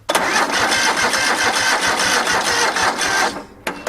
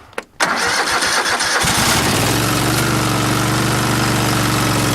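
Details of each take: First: A second, usually poor battery tried on a small jump pack: the starter drags the engine over slowly, about four labored turns a second, then quits without firing; the battery is too weak. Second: After a few minutes on a jump pack: brief rhythmic cranking, then it catches cleanly and settles into a steady, even idle; a healthy crank and start.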